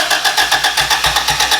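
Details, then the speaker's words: Boosted B18 Honda Civic EG hatch: steady starter cranking at about six pulses a second without firing; crank no start, ignition timing suspected, distributor being moved and its function unconfirmed. "we got close and then we got far it was a spot where it was closer to starting than here"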